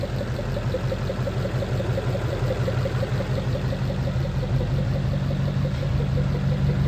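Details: 1940 Mercury engine after fuel pump work, pump still pushing fuel out; steady, even low idle with a soft regular pulse about three a second, no misses; normal idle.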